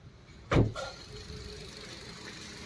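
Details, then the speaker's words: Petrol car that misfired with a blinking check light and P0300 after water got onto the engine during washing, now fixed by clearing water: a sharp clunk, then a quiet, even idle, no longer vibrating or shaking. "देख सकते हो एकदम silent है मैं पहले any थोड़ा सा प्रसन्न कर रहा था हिल रहा था"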